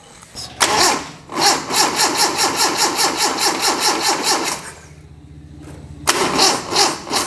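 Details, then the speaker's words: Budget rat rod truck, first restart after radiator leak repair: starter churns slowly, about two and a half turns a second, pauses, then drags again as the battery runs flat; slow cranking from weak battery, needs charging. "I'm running out of battery now yes sir uh why I need to charge the battery first let's get some juice into this battery so we can crank the sink properly"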